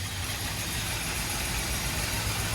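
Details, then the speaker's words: 1981 Oldsmobile Delta 88, hard starting when cold, choke adjusted slightly open; engine catches, stumbles briefly, then settles into a steady even idle with a low rumble; normal idle after cold start, fixed by choke adjustment. "what happened that's how it should start stumble a little bit but then come back"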